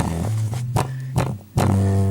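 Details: Klipsch 4.1 subwoofer driven by stacked amps: deep bass comes out buzzy and flapping with rough breakups; its over-10-year-old 6.5-inch drivers have failed, the right one blown with rotted foam surround.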